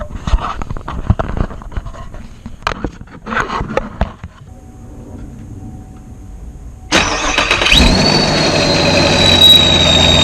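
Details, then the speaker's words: 2017 Camaro SS V8 first start after ProCharger and intercooler install, air filter and blow-off valve not yet fitted: starter catches, engine fires into loud even idle with faint high whistle; normal running. "oh it's loud it's alive yes it is running"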